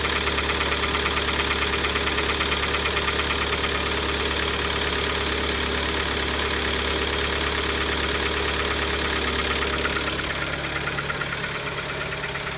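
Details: Kia Optima engine knocking at start-up: regular knock roughly three per second over the idle just after starting; internal engine knock, ultimately resolved by replacing the engine under warranty.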